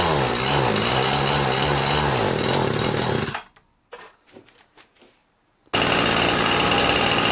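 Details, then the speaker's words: Ryobi 410r 31cc mini cultivator two-stroke with misrouted fuel lines. Buzzes with pitch hunting up and down, cuts out and restarts, running only on choke because it is fuel-starved; rerouting the lines later fixed it. "there's never really a lot a whole lot of gas coming out here [Music] so it runs on choke"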